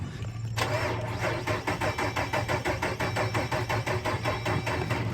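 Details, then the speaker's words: Jeep with a dead battery, cranked on a 94% charged jump box: sluggish, uneven cranking at about three turns a second that never catches, then the jump box dies. Not enough voltage, slow cranking from low battery. "No, don't have enough voltage, it sounds like."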